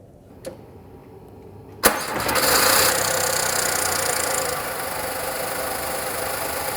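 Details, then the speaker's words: Car started for about 10 seconds right after a DIY oil and filter change: the engine catches, then a light, rapid ticking clatter over the idle settles as oil reaches all parts. Normal start-up valve clatter after an oil change. "Zu Anfang hört man so ein klackerndes Geräusch. Die Ölsäule, der Öl muss sich erstmal in alle Aggregate verteilen. Wenn das Geräusch weg ist, kann der Motor aus."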